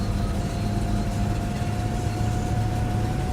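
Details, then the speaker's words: 1979 Mercedes-Benz 450 SLC at 105,518 miles, idle just under 900 rpm, pre-purchase inspection, seat-felt shaking: steady low drone with uneven, choppy firing and sputter; misfire, cause not yet pinned down. "But yeah, there's definitely a roughness to it, and I can feel it, you know, while I'm seated on the seat here. It's just shaking a little bit and sputtering like a misfire."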